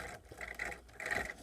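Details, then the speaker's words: RC car ball differential on the B4, one wheel held by hand: light smooth whirring with slight graininess put down to the drive joints; the diff turns freely and sounds healthy. "the reason why it's probably grainy soundings the drive Jats but as you can hear it's pretty good pretty good not both way"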